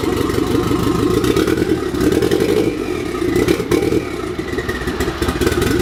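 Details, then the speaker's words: Car with turbo upgrade and open downpipe, LS coil connectors recently disturbed, engine cold: loud raw exhaust with uneven stumbling beat and clattery bursts on revs; misfire, suspected loose coil connector. "no no so it's a miss very good that's not good"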